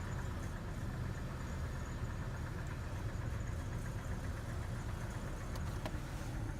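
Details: Cold engine revving: heavy low rumble with a faint rapid knock riding on top, a severe rod knock.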